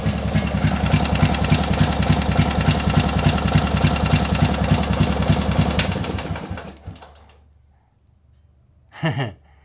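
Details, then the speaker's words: Lumpy idle with regular exhaust pops about three and a half per second, then shut off; engine judged to run fine, owner thinks the loud sound is just the exhaust, cause unconfirmed; loud exhaust note at idle. "The engine sounds like it's running just fine. It is just the exhaust that sounds like that, I think."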